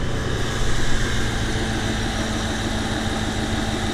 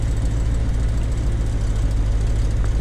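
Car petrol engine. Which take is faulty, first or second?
second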